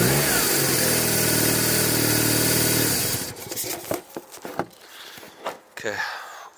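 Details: 1997 BMW R1100RT no-start, fuel pump fed by grounding it through test leads: engine fires and runs with a steady even beat for about three seconds before shutting off; runs normally once pump is powered.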